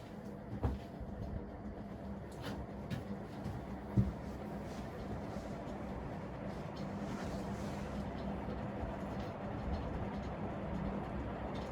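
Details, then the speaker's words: Old industrial ceiling fan on high speed: steady low hum with rough scratchy rumble, worn bearings vibrating the whole fan. "bearings are so scratchy kind of vibrates the whole fan"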